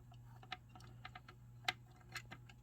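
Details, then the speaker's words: Sega CD Model 1 drive, loosely reassembled with a ribbon not installed properly: sharp irregular ticking over a faint hum as the sled hunts and cannot find its home position. "It doesn't know where it is. It doesn't know where it is because that"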